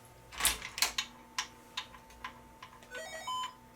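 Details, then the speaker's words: Samsung LN-T4042 40-inch LCD TV after repair of clicking no-power-on fault (bad power supply capacitors suspected): a few relay clicks, then a short rising chime as it powers up normally. "power on you hear that chime and we are actually good"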